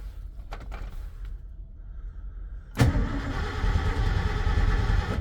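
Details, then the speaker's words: 1990 Ford F250 project truck: silence, then starter spins the engine in a fast, uneven churn that never catches; crank no start because the key and ignition weren't switched on. "now maybe if I you know put the key in the ignition so the ignition would actually be on while I'm trying to start this motor vehicle that'd be fantastic"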